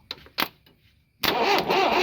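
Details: Swaraj Mazda Super XM turbo diesel tipper, 3455 cc, 5-speed, cold start after 4 years idle, ignition wired directly to battery positive: two dry clicks then laboured uneven crank that never catches; 24 V may be needed; slow cranking, no start.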